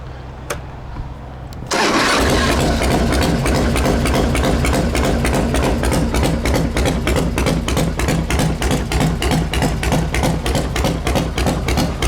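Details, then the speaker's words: 2000 special construction Harley with factory EVO motor, trick cam, S&S, 5-speed, on a borrowed battery: quick crank, then loping even idle around three beats a second; runs well. "It's got some kind of trick cam on it. SNS, 5-speed, runs real well."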